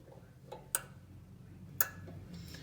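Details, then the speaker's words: Whirlpool Duet front-load dryer GW9250SU0 with a bad squeak complaint, drum removed: the tensioner pulley is flexed by hand and the belt switch gives two sharp clicks about a second apart; the dryer won't turn on without it. Normal belt switch click. "this tensioner pulley right here it just kind of flexes hear it without this the dryer won't turn on by the way you can hear it"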